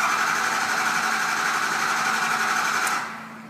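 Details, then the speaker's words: 6.0L Powerstroke diesel with crank no-start and ICP-too-low codes, oil at the bottom of the hash marks, cranked to check base oil pressure on the cluster gauge. Steady cranking about four beats a second that never catches: no-start from low injection control pressure. "Next, you're going to want to check oil pressure, the base low pressure oil pressure. So what you can do, if you don't have an oil pressure gauge or anything like that, what you can do is crank it."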